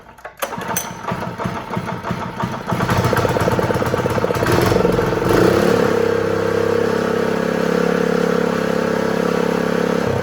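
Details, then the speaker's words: Honda GX120 small single on a roofing shingle loader, pull-started after reassembly with spark and fuel confirmed and the kill switch disconnected: a few seconds of revving, then a smooth, even run at steady speed. Normal running. "Yes, so it runs, but I forgot to connect the kill switch, so that's why it's not working."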